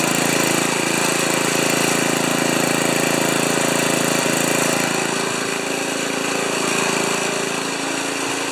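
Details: Old five-horsepower Ariens 2+2 snowblower engine at about three-quarter throttle after clearing a tiny hidden hole in the carburetor main jet: steady, fast, even buzz with no surging or hunting; runs smoothly and healthy.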